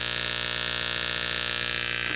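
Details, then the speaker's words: Old DIY amplifier first powered up in years on bench speakers: a steady raspy buzz at one pitch, present even with power off, suspected ground issue traced to a broken RCA cable. "you know what I think I know what the problem is I think I got a uh a ground issue because it's making that noise even with the uh power off give me a minute okay broken RCA cable"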